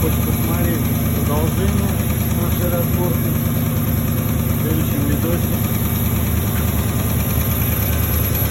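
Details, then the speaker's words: Porsche Cayenne 4.5 V8 idling with a light, uneven tapping about three per second over the low rumble; engine knock, owner suspects scored cylinder walls (задиры), to be confirmed on teardown. "Мне кажется, это все-таки это задиры в цилиндрах."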